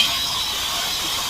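A steady, loud high-pitched hiss with no rhythm, like air or vacuum escaping: a leaking or faulty valve hissing in the engine bay. Cause suspected, not confirmed.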